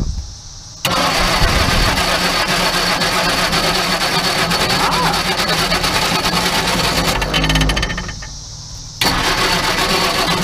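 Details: Crosley car under 30K miles, stored in a barn from the early 1970s and thought not to have run since the late 70s or early 80s, with water, oil, plugs and spark plus a little fuel: cranks with uneven sputters and firing bursts, then dies. Won't stay running.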